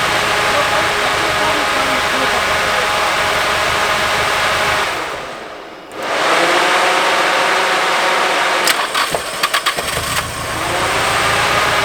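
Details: Nissan 240SX S14 Kouki SR20DET idling with a coil pack unplugged, little change: steady but uneven idle with stumbling pulse about three times a second; dead cylinder from a faulty fuel injector.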